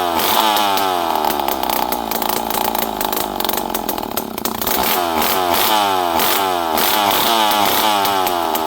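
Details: Poulan 5200 Counter Vibe chainsaw, unrun for 5-6 years, on the bench after carburetor screws were set around half to 1.5 turns, with no muffler. A loud, raspy two-stroke howl revs up and down steadily and cleanly with no misfire. Normal running.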